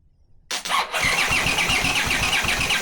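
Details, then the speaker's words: Honda CX500 engine on bench test stand, no exhaust, no cooling, spark confirmed but fuel coming out of cylinders: starter churns about four beats a second with chirping squeal, never fires; coils suspected swapped, firing at wrong moment; cranking but no start. "And again, you can clearly see the fuel coming out of the cylinders. That's why I put my hand onto the air filter. So, I thought maybe the coils are the wrong way around and that's why they're not firing at the correct moment."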